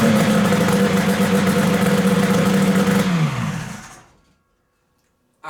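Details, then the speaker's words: XLT 600 snowmobile engine in a 4WD mini lifted muscle car project, first run. It holds a steady, even buzz for about three seconds, then winds down smoothly and shuts off; it runs well. "oh it runs it runs good"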